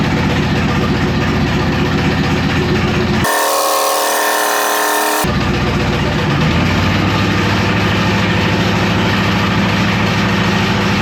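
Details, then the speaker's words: Camaro/Firebird LT1 V8 (Fugazi Firehawk) torture test run with no oil, zero oil pressure and no cooling, past three minutes: steady deep knock about four a second under the idle; bearing knock from oil starvation. "Unreal. No oil. It's knocking. No. We're over 3 minute mark. Kind of has a nice beat to it though, doesn't it?"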